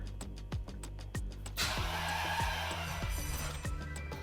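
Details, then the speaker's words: V12 Ferrari 456 left parked a few days, immobilizer flashing: starter turns sluggishly at about three labored beats a second, dragging and uneven; battery nearly flat. "You can hear it. It's almost flat. There you go. That's it. Battery is flat."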